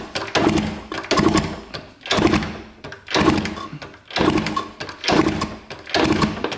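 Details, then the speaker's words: 1971 Yamaha JT1 mini enduro after about 30 years stored, decent compression, fuel on the old plug: slow kick strokes about once a second through compression, never firing; zero spark, different plug to be tried before checking the points. "so that there is zero spark so first thing we're going to do is try a different plug and then go from there"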